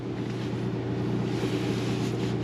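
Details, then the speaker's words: Late-model Sea Ray 370 Sundancer marine generator, load just removed, running a minute or two to cool: steady, even drone with constant low hum, no knocks or surging; runs smoothly unloaded at raised RPM. "I like the generator to run for a minute or two after you take the load off of it, just to kind of help it cool down, get to its, you know, when you unload a generator, the RPMs come up."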